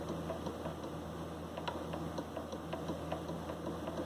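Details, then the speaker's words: Fender Telecaster with a warped fingerboard, measured on the high E: a fret rocker gives faint light clicks, about five a second, rocking on the high second fret, over humidifier hum. "Anyway, that's rocking there, and it's not rocking here."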